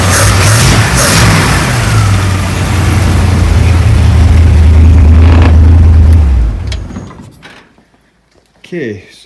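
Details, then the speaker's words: 1935 Ford 3-window hot rod, 327 V8 with six 2-barrel carbs and a 4-speed, after the loose throttle-shaft keys were thread-locked: a strong, low V8 rumble revs cleanly, holds steady for several seconds, then drops away; throttle response is healthy. "safe to say it works I'm just gonna maybe go through a few more of them and just double check it but I seem to be happy with the progress of that so far so everything seems to be working as one"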